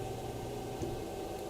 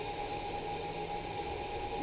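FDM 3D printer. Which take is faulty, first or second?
second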